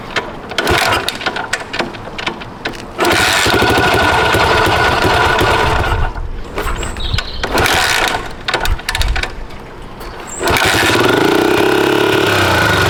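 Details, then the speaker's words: Restored 1982 Honda XL250R single, first start in over 15 years after carburettor leak repair, catches and revs in sharp bursts, then holds a steady high buzz cold on choke; pulls cleanly and sounds healthy. "So right, she is alive. So this is the first ride for me. You do have to keep the chokes out on these bikes for a little while to get them warmed up."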